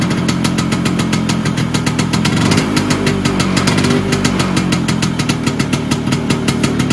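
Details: Vespa PX 125 with 177 kit, restored engine (new bearings, seals, piston, rings, lapped cylinder), 2.5% premix, first start after a year: fast even two-stroke putter, crisp regular exhaust beat, no knocks or rattles; owner says idle needs adjusting; normal idle.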